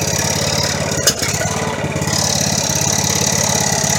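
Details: Poulan 19 hp tractor engine salvaged from a scrap pile, jump-started at the starter: single engine fires and settles into a fast, steady, slightly rattly run with no misses; running normally.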